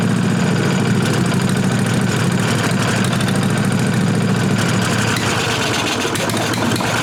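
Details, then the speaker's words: 1998 Briggs & Stratton Vanguard 16HP horizontal-shaft V-twin (model 303447) after fitting a working fuel pump (which sprays some fuel); even, steady low drone, no knocks or misses over seven seconds. Normal running. "Alright guys, so finally got a good fuel pump except for spraying fuel out of it."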